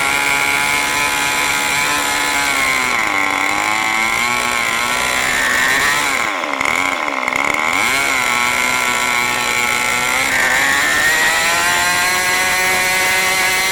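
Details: New OS 40 FSR model engine, second tank, not fully broken in: a high buzzing whine sags and wavers as the throttle comes back, idling too fast at about 3500 rpm instead of about 2700. The low-end mixture is far too rich.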